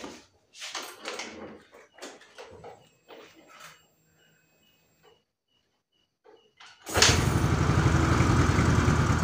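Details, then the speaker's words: Yamaha Mio Soul GT scooter that dies when throttled, no MIL code, nothing read by scanner: after a quiet spell it catches and revs hard and steady only with fuel added at the air filter intake; confirmed weak injector. "Oke Lur ternyata mau ya kalau di sini dibantu bensin dia mau digeber tapi kalau enggak enggak mau"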